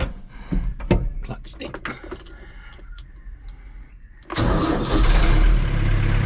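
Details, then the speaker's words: Farm tractor diesel after fixing a sluggish starter by adding a new ground cable from the battery to the starter motor housing: it fires promptly and settles into a steady, even idle. A normal start after the repair. "there we have it lazy ground from the battery to the star motor"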